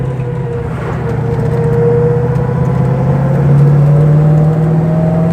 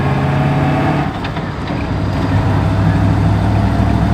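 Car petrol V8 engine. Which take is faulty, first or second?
second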